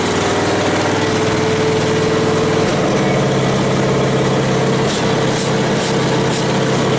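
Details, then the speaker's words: Westwood T1200 garden tractor's small engine just out of winter storage, started first time: steady, even idle with a constant beat, no misses or knocks, running smoothly; normal idle. "that's it just started first time just got a little bit you're very sweet little engine"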